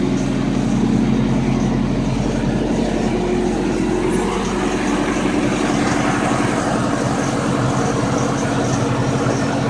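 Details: Toyota engine idling steadily with a faint, uneven pulsing noise of about four beats a second over the hum.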